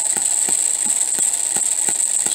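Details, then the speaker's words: Homemade miniature 4-stroke hit-and-miss engine with a half-inch stroke under added load, firing more often; sharp pops about every third of a second, each followed by a coast, with the governor cycling normally. "if i if i put a load on the engine you will hear it start to fire more often"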